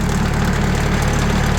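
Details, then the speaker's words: Sawmill at idle with the blade tensioned to about 500 psi, before sound-dampening sheets were applied: steady low engine idle with a loose, buzzy metallic chatter from a sheet metal door rattling. "You can hear the rattle, and you can see the rattle right here."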